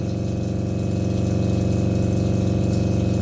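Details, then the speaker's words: RV 12 V water pump running with the kitchen sink open: loud pulsing low drone, about three throbs a second, vibration carried through rigid plumbing and heard in the bathroom; before fitting vinyl tubes to reduce vibration. "i'm gonna take you into the bathroom so you can hear it is also allowed in the bathroom due to the vibration you can hear the vibration from the water pump all the way in the bathroom"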